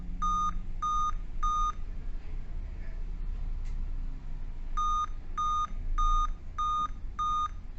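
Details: Dell Vostro 2520 laptop (DV15 MLK motherboard 11280-1) at power-on: clear high beeps, about one every three quarters of a second, in repeating groups of five even with date and time set correctly; rare RTC fault in the PCH RTC section of the chipset.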